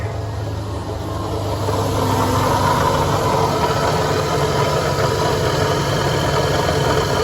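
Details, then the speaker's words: 1988 Ford E150 van, 4.9L six-cylinder, battery drains and tester shows overcharging at 16 V: steady idle with a rough, rattly whirr from the front accessories; owner suspects a bad alternator, possibly the water pump. "Alright, I think we have a bad alternator. And that might be the racket you hear. My bad water pump, but it might be the alternator."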